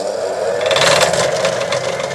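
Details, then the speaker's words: Out-of-balance shaft spinning on a lathe: steady hum with a fast metallic banging rattle that resonates, then fades as speed rises to the lathe's maximum rpm. "it is a little bit wobbling right and you can hear it sort of banging every so often right"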